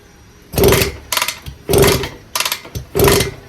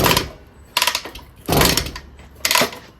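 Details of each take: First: 1974 Indian JC54, Minarelli P4 two-stroke, first run after sitting, oil squirted in cylinder; carb needs cleaning, stuck throttle cable, no idle screw on carb (Ruing, not Dellorto). Short revving bursts dropping away between blips; runs only on throttle, won't idle. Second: 1974 Indian JC54 with Minarelli P4 engine, original condition, compression test while kicking over at full throttle; reads about 125, needs over 90 to run. Three or four swishing kick strokes with firm resistance, no firing; good compression.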